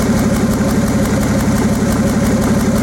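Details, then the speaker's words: Nissan 280ZX Turbo, listening through a screwdriver held on an injector solenoid: crisp, even ticking, about three clicks a second, so this injector works normally; number five is silent. "I'll take a screwdriver and I'll put it against one of the solenoids and then I'll put that into my ear and I can hear it going click click click click click"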